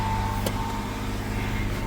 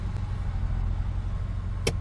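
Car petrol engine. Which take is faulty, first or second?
first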